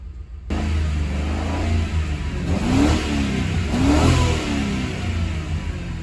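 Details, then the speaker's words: 2003 Ford Crown Victoria after clearing codes from an unplugged sensor (rescan shows zero codes; ABS and airbag lights still on): engine idles, then two clean blips rise and fall smoothly with no misfire or stumble; running normally. "sounds like the engine's running good now for now we still have an ABS light"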